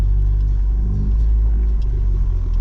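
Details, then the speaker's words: Ford Fiesta ST after new NGK spark plugs at stock gap, test drive: deep, even rumble under load and boost with no stumbles or popping; engine pulling cleanly without misfires. "So she already sounds good. Nothing sounds out of place, but again, we're gonna go for a little drive and make sure."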